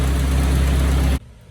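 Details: Mitsubishi Starion/Conquest G54B after rebuild, timing reset to 10° BTDC at idle under 1,000 rpm: deep, steady idle with an even low drone and no misses or knocks before shutting off; the engine idles cleanly.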